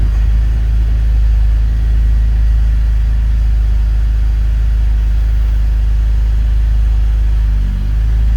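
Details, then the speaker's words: BMW E39 528i (M52TU/M54 inline-six) with worn dual VANOS seals: lumpy, uneven rough idle with a brief stumble, a symptom that causes hesitation and bog-down pulling away from a stop. "So you're getting a rough idle. This is going to translate to a hesitation when you're coming from a stop."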